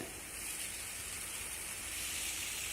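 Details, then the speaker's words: Tubeless tire just mounted on a Tuff carbon XC mountain bike wheel, beads seated with no wobble: a steady, thin, high-pitched hiss of air leaking at the bead; the fix is to shake the wheel to seal it. "I hear a little bit of air leaking. So that means I've got to do the shake."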